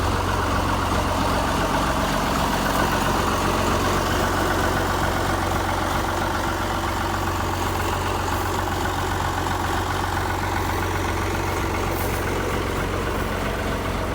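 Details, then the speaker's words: White 1955 tractor (rebadged Oliver 1955) old diesel, started after glowing and a jump from a Land Cruiser: even, steady clatter about four beats a second with no misses or knocks; smooth, healthy idle. "But yeah, another old diesel comes to life."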